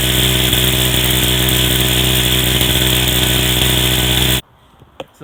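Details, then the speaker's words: Go-kart small single-cylinder engine that sat for a long time, just after a carburetor replacement: loud and buzzy, runs steadily for about four seconds, then cuts out abruptly and won't keep going; it needs more adjustment. "but from apart from that um it doesn't need a spring and doesn't want to keep going"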